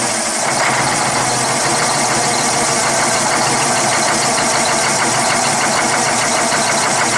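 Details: Cummins ISX CM871 diesel after bad injector replacement and restart: loud, steady diesel clatter at an even pace with no misses or stumbles; engine idles normally.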